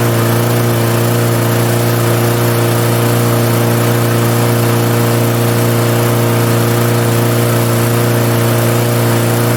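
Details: 1998 Murray 20506x8a push mower, auction find, full throttle on rabbit, no working kill switch: small single-cylinder engine running smooth and steady with even, unbroken drone; healthy running.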